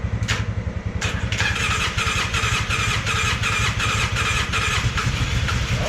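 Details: Polaris Sportsman 600 with almost no compression: uneven weak cranking chuffs that barely catch and stumble roughly without settling; almost no compression, it almost runs.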